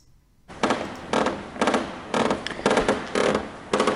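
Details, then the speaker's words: Libelle glider tailplane/fin rigged in hangar with force applied to top of fin, after pilot reported extra movement at VNE: dry crackling creaks in bursts about every half second from the tailplane fitting flexing under load; this fin is confirmed broken. "okay so what you can hear here is the actual actually the tail plane making that creaking noise"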